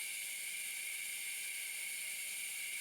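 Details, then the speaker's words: 1950s Vixen spark plug cleaner and tester, first air test before restoration: constant high, airy hiss; sticky air valves leak and air escapes into the spark test chamber for unknown reasons. Owner plans to soak the valves or check for O-rings. "Looks like the valves are sticky. And it's leaking out here. I'm not sure why there's air coming through where you test the spark."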